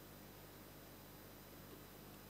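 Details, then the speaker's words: TDA2050 class AB stereo amplifier, about 60 W total, with a mini jack plugged in and no signal: steady low hiss with a faint hum through the speakers, louder as the volume rises; normal background noise floor. "when I touch the mini jack there is no sound coming from the speakers if the volume is increased the background becomes louder"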